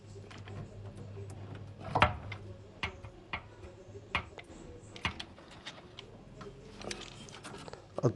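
A running engine hums low while sharp, uneven clicks stand out roughly once a second from inside the block.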